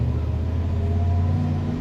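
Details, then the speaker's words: 1977 Ford F-150 Ranger XLT 4x4, 4-speed manual, on test drive starting in second: steady, even engine drone under load, clutch grabs well, no grinding or crunching from the gearbox; normal gear shifts. "Clutch grabs really well. All the gears shift well, no grinding, nothing like that."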